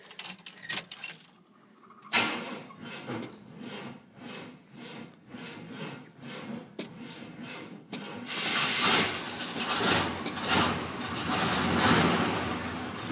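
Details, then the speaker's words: 1974 Chevy K20 Stepside V8 start: sluggish, uneven starter cranking for several seconds before it catches and roars. The battery is weak, and the owner plans to replace it with an Optima. "Yeah, battery's weak. I need to get a new one. Get an Optima."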